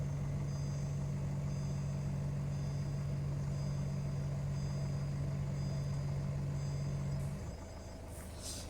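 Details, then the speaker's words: Citroen C4 Grand Picasso air suspension, after clearing suspension faults with diagnostic software: compressor hums steadily about seven seconds raising the car, then cuts out; compressor and ECU working, no major fault. "which fundamentally tells me um i don't have a major fault my ecu must be working my compressor is clearly working"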